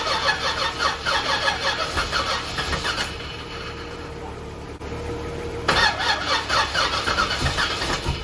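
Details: Supercharged Z28 first start after reassembly, jumper cables attached, fuel just reaching engine: uneven cranking that stumbles, catches, drops away and picks back up rough; hard starting.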